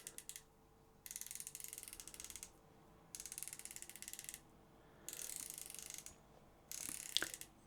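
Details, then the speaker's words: SoloKing Acura Pro BFS baitcasting reel (carbon frame): fine, rapid, even clicking in bursts each time line is pulled. The drag clicker works normally, very smooth, a bit louder and more refined than the Tsurinoya Dark Wolf Ultra's. "but in here it's way more refined it feels actually more like daa fancy drag lickers like on geeka Bon and so on kind of very very smooth a little bit louder and just feels way better"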